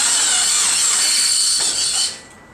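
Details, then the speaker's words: Subaru Impreza with the clutch pedal fully depressed, clutch not disengaging: a harsh, high, steady squeal from a failing throwout bearing, blamed on riding the clutch. Throwout bearing squeal. "You can hear the throwout bearing just going berserk. Just squealing, squealing."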